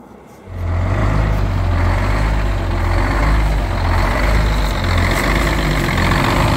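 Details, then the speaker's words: 1971 GMC 9500 Detroit Diesel 6-71 two-stroke, restarted after 26 years, after tune-up; loud idle that surges and sags in a slow uneven lope because the wrong (long) idle return spring is fitted. "so you hear it kind of loping like that it's because we uh have the long wrong idle return spring in it"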